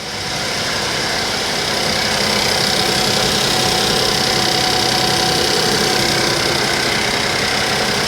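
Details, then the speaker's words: Suzuki Vitara that starts after an ECU change: an uneven, lumpy idle with an irregular stumble, as if one cylinder is missing. The cause is unknown, and the owner suspects sabotage by a previous owner. "what the hell's going on with this car why is that why is that really missing"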